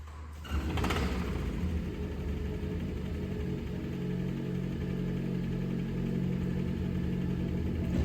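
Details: 2008 Dodge Caliber SRT4: starts and settles into a rough idle with a harsh, rattly clatter from the front. The source is undiagnosed; the car needs a head gasket, and timing parts are ordered.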